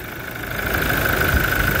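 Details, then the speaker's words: Toyota Innova 1GD diesel, towed in from Taytay, Rizal because it would not start: now starts on one click and settles into a steady idle with even clatter and a faint constant whine, no stumbling or knock; normal idle. "Ngayon ito na siya yan pinaandar ni pareng Ariel. Pare one click. Ayun na. Smooth. One click."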